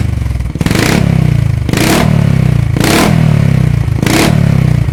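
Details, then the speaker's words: Yamaha SR400, around 40 years old, just after its exhaust was tightly repacked with high-heat glass-fibre wadding: deep single thump at idle with four crisp throttle blips, no rattle or buzz from the exhaust; normal, healthy exhaust note. "เดี๋ยวเราจะมาลองสตาร์ทฟังเสียงดูนะครับว่าเสียงที่อัดยายแก้วแล้วจะเป็นยังไง"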